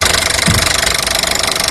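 Fast, even ticking of about thirteen a second over an idling petrol engine, typical of a noisy high-pressure fuel pump. Cause suspected, not confirmed.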